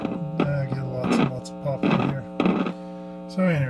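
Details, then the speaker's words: Webcor Holiday portable record player tube amplifier, no cartridge fitted, before restoration: loud buzzing hum cutting in and out in bursts as the speaker wires are touched. A grounding issue is suspected, possibly partly due to the missing cartridge. "i'm getting a hum yeah you know what that's telling me i got a grounding issue somewhere in this"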